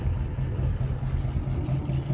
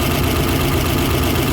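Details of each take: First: 1955 Ford, about 65 years old, after replacing a bad spark plug wire that caused a misfire: deep, even low idle rumble with no skips, running smoothly on all cylinders; cranked right up without choke, misfire fixed. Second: Uneven, lumpy idle with an irregular loping beat under the exhaust note on a 1955 Ford that had become hard to crank; one cylinder isn't firing, traced to a bad spark plug wire.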